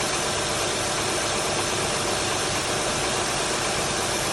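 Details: 2004 TL, petrol engine started completely cold: busy rapid knocking over the idle, louder after about 30 seconds, heard most at front and back of cylinder; owner wonders if valve adjustment is needed.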